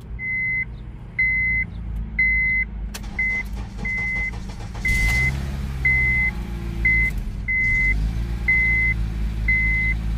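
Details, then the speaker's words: Abandoned car with 248,000 miles, started on a low jump box: cranks briefly, catches around three seconds and settles into a smooth, even idle under a steady once-a-second dash chime; runs healthy. "So it starts. That's my jump box. It's low on juice, but yeah. That sounded pretty good."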